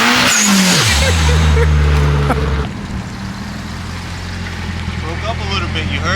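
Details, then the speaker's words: SR20DET Nissan S14 on MegaSquirt after setting initial crank timing (was too advanced): pulls hard, then note sags and breaks up under load from a fuel map dead spot just below 2,000 rpm, to be tuned out. "it huh it broke up a little bit W I thought it sounded out there good though not going to lie it look I got to bring the laptop out it's got a little dead spot like right below like at 2K so let me tune that out real quick"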